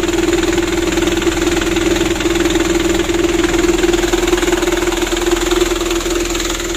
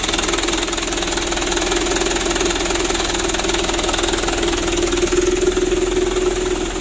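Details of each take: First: 2010 Mitsubishi Canter 125 PS diesel truck with a loud aftermarket exhaust, after injection pump plunger and timing adjustment: even clatter at a steady idle with a constant hum, no misses or hunting; idles cleanly. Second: 2010 Mitsubishi Canter 125 PS diesel truck after tuning, fitted with a "Srigala" aftermarket exhaust; loud steady diesel drone with constant low throb at idle, burying any turbo whistle; loud aftermarket exhaust note.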